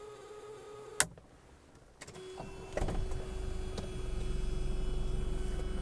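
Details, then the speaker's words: 1977 Mercedes-Benz 240D (W123) diesel, somewhat cooled, started after activating the glow plugs. A click, a short crank, then it catches quickly and settles into an even, steady clatter: a normal start. "I will start it up and show you the gauges we'll activate the glow plugs"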